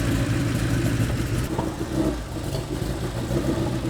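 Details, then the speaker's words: 1987 Porsche 911 Carrera 3.2 engine on test stand, fuel pressure about 2 bar, strong fuel smell, white smoke: uneven lumpy running with irregular pops and wandering speed; misfire from faulty crank position sensor signal. "fuel just smells like gas in here it's really popping so I did put the gauge on the pressure rail"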